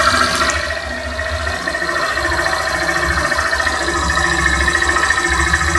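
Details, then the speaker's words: Honda Titan 160 motorcycle idling, worst on first start: faint steady high-pitched whine over lumpy single-cylinder idle; cause unclear, others suggest failing fuel pump, owner thinks it may be injection. "O meu tô, o meu tá apitando, tá fazendo pi bem baixinho."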